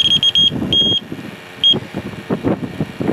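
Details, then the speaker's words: 2010 Honda Fit AC system that lost all its refrigerant: leak sniffer beeps high and shrill, chopped then long and steady at the condenser, a large leak from a rock dent; condenser to be replaced. "Okay, here we go. Yeah. See that? That means it's a nasty leak."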